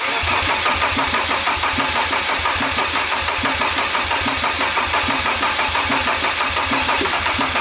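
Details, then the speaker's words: Volvo C304 camper with freshly rebuilt Mercedes OM605 turbo diesel swap, cylinder head machined and valves resealed, first start: steady, even diesel clatter settling into smooth idle, no misses or knocks; sounds really nice, healthy. "Gez, it sounds nice. Yeah, sounds really nice."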